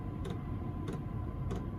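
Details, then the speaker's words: Chinese diesel heater running on kerosene: soft, evenly spaced dosing-pump ticks about every 0.6 seconds over a steady low heater rumble. The pump is felt to bang too loudly, but this is normal operation. "the pump is so noisy I need to do something with that pump because I can't cope with that banging away like that"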